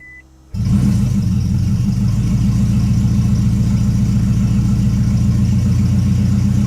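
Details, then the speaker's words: 2008 Toyota Prius after timing chain replacement, cranked with the injector connectors unplugged so it cannot start: steady, even cranking at about 3.5 turns per second with no firing; a healthy crank-over. "all right it did not start just like we wanted it to so it filled again"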